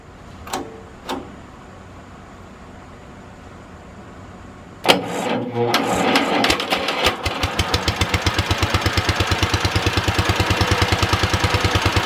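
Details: Wisconsin THD twin-cylinder engine, first start after repair: it catches after cranking and settles into an uneven, lopsided beat at about three pulses a second, only one cylinder firing; stuck exhaust valve on that cylinder, later freed with oil and a pick.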